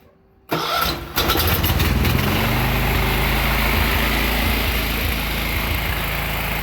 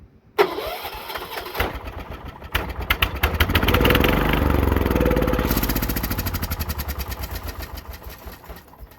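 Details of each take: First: John Deere 216 lawn tractor engine after draining water and rust from tank and carburetor; cranks, catches and runs slightly rough with an uneven hunting beat, still some water and debris in the fuel. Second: John Deere 216 lawn tractor, with carburetor cleaner sprayed into the intake: cranks, catches and fires, running at a steady popping beat about three per second before dying away; engine starts and runs.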